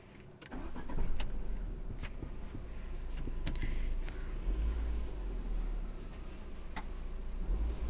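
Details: Tata Zest petrol car that had misfired with the malfunction light on and kept stalling, now idling with a steady low rumble and no stumbling or cutting out after a replacement part was fitted.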